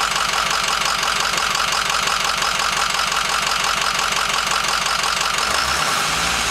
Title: F-250 diesel rough idle